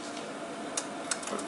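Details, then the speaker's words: Ariston dual-circuit gas boiler with the yellow chimney lamp lit and 60, 70 and 80 degree indicators on: sharp irregular ticks over a steady fan rush; its three ignition electrodes were covered in soot and were cleaned. "Вот, и там были, получается, 3 электрода. Они были все в саже. Из-за этого все и происходило."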